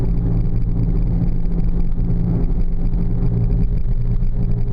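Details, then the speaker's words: 2000 Oldsmobile Silhouette GM minivan driving at 20–35 mph: a deep, steady howl or growl under the road noise that gets louder with speed and briefly fades in a left bend, pointing to a worn wheel bearing hub. "my wife was driving this car and called me on her cell phone and over the cell phone I could hear the the howl or the growl the loud hum"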